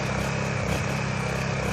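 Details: Honda EU1000i generator bought used, running bad, run after a Seafoam treatment before carburetor cleaning: steady drone with a slightly uneven, lumpy beat. Rough running, cause not yet clear.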